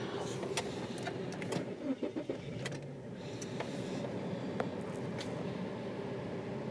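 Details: 2003 Mazda Protege5 that clicked but would not start in park: shifted into neutral, a few clicks and a brief crank, then it catches and settles into a steady, even low hum, a normal start.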